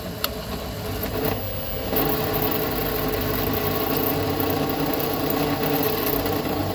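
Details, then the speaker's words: 1998 Club Car DS golf cart: steady mid-pitched whine over running noise, loudest at no load, fading when accelerating or decelerating; rear transaxle noise, suspected, later treated with silicone on splines and oil stabilizer. "all right do you notice the sound it comes and goes If you're sort of in a no load situation it's really noisy if you're if you're hard on it taking accelerating or decelerating you don't hear it so much but when you're in between a load that's when it's the noisiest"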